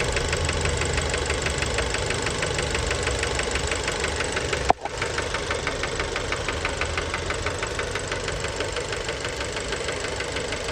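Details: Fiat Bravo 2, 1.4 T-Jet 150 HP, 215,000 km, recently serviced, recorded close to the engine at steady idle: a sharp metallic knock about twice a second, tied to engine speed. Worn rod bearings knocking; cause unknown, car scrapped.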